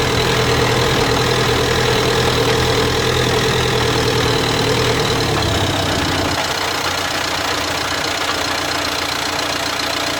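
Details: 2016 Dacia Duster dCi 4WD diesel, brand new: gritty grinding growl under load when accelerating from 1500 to 1800 rpm in 5th or 6th gear; unresolved after two dealer visits, owner suspects faulty drive shaft.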